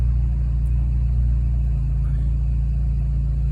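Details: 2006 Scion xB 1ZZ-FE cold start in open loop with larger injectors, 63mm MAF intake and Blox shorty ram air: deep even low rumble, steady beat, no stumbles, idling smoothly while warming up.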